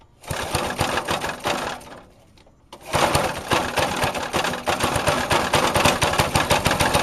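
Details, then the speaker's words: Vintage Craftsman 18" snowblower, rebuilt 3.5 hp Briggs single-cylinder, just cold-started with starting fluid: under throttle it fires, dips nearly out, then picks up with an uneven hunting beat, surging; owner says the carb needs adjusting. "It seems like it's surging a little bit."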